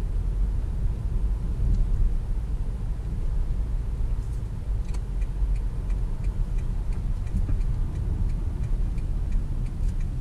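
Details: Toyota Corolla on a road test after being put back on the ground following brake work, driven to check for noise. Low road rumble with only faint light ticks over bumps and no clunks or knocks; suspension sounds tight.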